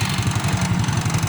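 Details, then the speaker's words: Honda Astrea motorcycle at idle: steady single-cylinder idle with even low pulses about eight a second and a faint buzzy rattle riding on them; the seat is vibrating. "Oh ini joknya bergetar. Ini dia. Ini joknya bergetar. Suaranya jelas banget."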